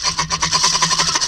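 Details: Ceiling fan that makes a loud odd noise when switched on: a rapid scratchy rasp repeats several times a second in step with rotation, a dry rub. Cause suspected, not confirmed. Rubbing noise.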